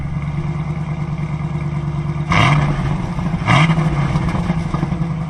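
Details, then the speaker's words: 6-speed Camaro SS V8 with 40k miles that sat 10 years, idling after start with Seafoam still burning through. A steady rumbly idle with two clean throttle blips and no misses or rattles. Normal idle. "let's see here i'll start it up for you sounds great"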